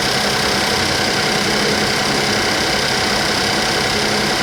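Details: Suzuki Vitara three-cylinder with no dash lights, after ECU-swap trouble: rough, uneven idle with an irregular stumble under a loud hiss, really missing; cause unknown, sabotage by a previous owner suspected; engine misfire at idle.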